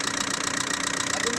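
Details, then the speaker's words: Diesel engine idling after a cylinder head job: sharp, rapid metallic ticking over the clatter, like something touching, valves or pistons; suspected cause is a bad head or wrong timing. "دخلها عملها ج كلاس هو الميكسي شفتوها هذ دخل جو كلاس وخرجها التكتك كانه حاجه تمس كان سب ولا كان بيستون الصوت هذا"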